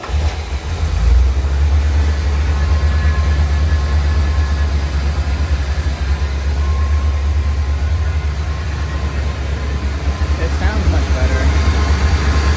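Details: 1979 Corvette L82 V8 idling on its own after a vacuum line was reconnected and the idle screw adjusted; steady deep rumble, but fast idle from the choke and normal idle both stay too high; high idle.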